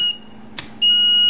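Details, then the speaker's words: Relay on a 1973 Honda CB750 custom-build wiring harness, energized with 12 volts and tested with a continuity meter: a crisp click, a steady continuity beep, then a second click. The relay is switching properly. "if this is working properly we'll hear a beep on the tester when I ground this lead right here"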